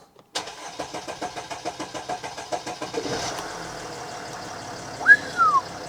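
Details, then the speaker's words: Mercedes ML diesel started after repairs, once the in-tank pump primed the fuel filter: about three seconds of even cranking, then catches and settles into steady idle with one brief chirp; clean start, fault codes from ignition cycling to clear. "Sounds like we're in the clear. Right, we'll spin her over."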